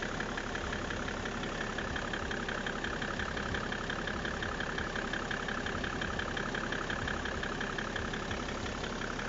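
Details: BMW E60 535d diesel at idle: regular knock about three a second over the clatter; owner questions whether the engine runs correctly; knocking at idle, cause not yet found.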